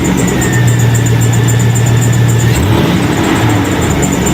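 Deep, steady V8 rumble settling into an even idle after a cold start, with a muffled exhaust note and nothing amiss.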